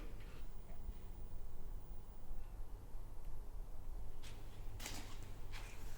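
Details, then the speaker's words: 1926 GP Salmson racing car engine on first start after internal clean-out, fresh oil, original plug leads and refilled coolant in old cracked hoses: loud, open-piped, steady beat, no rattles or knocks, little smoke; only a leak at the front crankshaft (seal possibly clogged). "It sounds really good mechanically. There's no rattles. It's lovely. It doesn't smoke that much."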